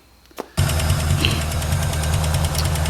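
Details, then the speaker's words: 1965 Mustang engine after a near-full restoration, first drive: rough idle with a light uneven tick pecking away, likely top end not bottom end yet; burned three quarts of oil in a week, owner fears oil starvation damage. "so yeah um basically this engine is knocking like a jehovah's witness right now and it's just tick tick tick pecking away it's something in the top end it doesn't sound like the bottom end issue yet"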